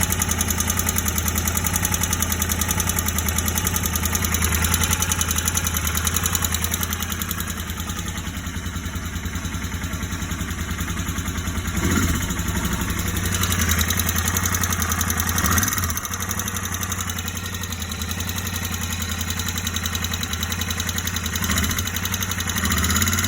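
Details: Warm Royal Enfield Interceptor 650 twin idles with a steady, loose knock tapping with the engine beat. It appeared after recent tappet adjustment, not at first start but once ridden down the block.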